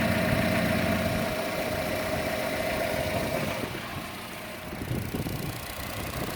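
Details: Chevrolet Cruze at idle, camera moved around the engine: light quick tick three to four times a second, louder than normal engine tick, most noticeable on the belt side; cause unknown.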